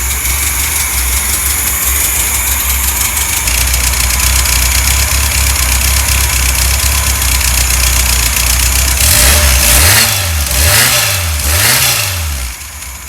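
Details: Freshly rebuilt 1600 air-cooled flat-four for a 1965 VW Beetle, timing already set, run with the cooling fan on: catches straight away into an even, steady idle with fan whirring over it; normal idle.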